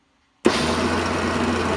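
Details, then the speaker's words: Water-cooled diamond-blade tile saw used to cut glass: starts into a steady, even hum at constant pitch with no rubbing or stutter; running normally. "I want to turn it on just so you can hear how noisy it is safety glasses always safety glasses get ready noise its water water cooled"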